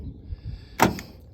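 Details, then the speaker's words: 1988 Toyota Land Cruiser FJ62 power door locks: two short, sharp, clean clunks of actuators cycling; all doors work fine except passenger rear, which unlocks but struggles to lock (owner unsure if hung up on door panel); normal lock operation. "passenger rear will uh will unlock but seems to have some difficulty locking but you can see the rest of them are fine"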